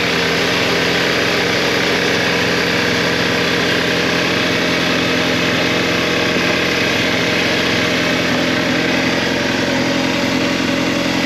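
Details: Audi A4 B7 2.0 TFSI idling after cam follower replacement and restart (slightly slow start after draining fuel system): steady, even idle hum with no knock, tick or miss until shut off; no leaks, running normally.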